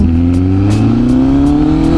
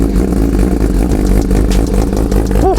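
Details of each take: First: 2025 Honda CBR1000RR-R Fireblade SP with full exhaust, revs climbing with hesitant pull low down: throttle flat spot felt around 2500 rpm that began after a Brent Tune ECU flash. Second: 2025 Honda CBR1000RR-R Fireblade SP with full exhaust, cold start the day after EDR Performance ECU re-flash: catches right away, steady deep idle, no stumble or flat spot.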